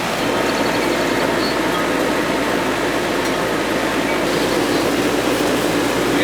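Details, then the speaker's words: Goodman R22 AC outdoor condensing unit that had not been running, now back together and calling for cooling: steady fan whoosh over an even compressor drone, running normally. "oh she checked right in cool on and automatic can't be without air conditioning now getting too hot"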